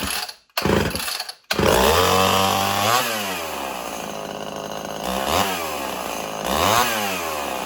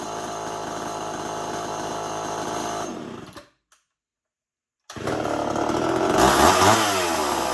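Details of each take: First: Old Homelite XL 12 two-stroke chainsaw, hard to pull when hot, revs up and sags unevenly, struggling to idle; owner suspects a long-stored carburetor losing pressure and loading up, possibly worn piston ring. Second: Homelite XL 12 two-stroke chainsaw, hard to pull and run when hot, test run after adjustments: steady idle buzz, brief cut-out, restart and clean even revving; running properly.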